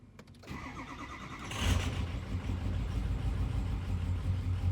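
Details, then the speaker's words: 2003 Ford F250 6.0 Powerstroke diesel, cold start: a long crank catches into a lumpy, uneven idle with stumbling beats, rough for the first 10 minutes or so; injector stiction, no blow-by. "all right so i don't know if you can hear but it's running pretty rough and that's normal the first 10 minutes or so after i start this thing"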